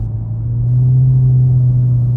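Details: 2016 Jeep Patriot 2.0L automatic: steady low droning buzz that swells with acceleration and engine load, louder the heavier the load, stops in neutral even when revved; load-related drone, cause not confirmed.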